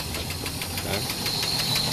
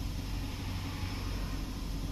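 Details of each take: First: Sludged engine from skipped oil changes, idling on its first round with an engine cleaning chemical in the oil: quick, even ticking about six a second from an oil-starved top end, oil pickup screen clogging with debris; not overheating, no oil light. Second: 4x4 engine idling after chemical engine-oil cleaning and a reseated spark plug that had set the service light: steady, even idle with constant low hum and hiss, no knocks, ticks or stumbles; running smoothly, no warning lights.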